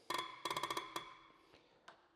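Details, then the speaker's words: Tractor diesel injector on a pressure tester after fitting a new nozzle tip: short bursts of crisp, rapid creaking pops with each pump stroke, quiet gaps between; good chatter. Opening pressure about 170 bar, to be adjusted down to 120–125 bar. "Nu ska vi provtrycka med den nya spetsen i. Och jag hoppas ni hör det. Ett helt annat ljud. Man brukar säga att de knarrar och ljudet påminner ju mycket om"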